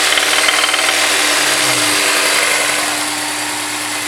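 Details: Honda S2000 idling with harsh, fast metallic knocking; suspected rod knock.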